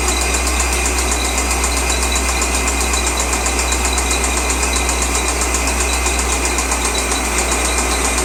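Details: 2003 Corvette Z06 LS6 V8 at idle: steady idle with an even tapping about four times a second over the engine note; engine knock, source undetermined.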